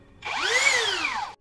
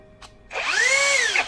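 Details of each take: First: Low-budget rebranded brushless drill after repair: the rotor had been rubbing the stator and overheating the module. Paper shimming at the top fixed it. A short clean whir rises and winds down smoothly with no rubbing. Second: Cheap rebranded brushless drill motor, after reassembly with stator repositioned higher: three trigger runs whining up and down with harsh scraping, louder than before, back to the original pre-disassembly noise; rotor rubbing stator, needs disassembly again.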